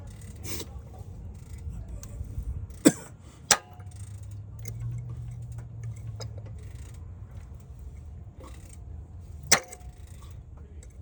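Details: GM 2.4L engine idling: low idle broken by sharp, irregular pops roughly every two or three seconds; cause unknown, head to be pulled.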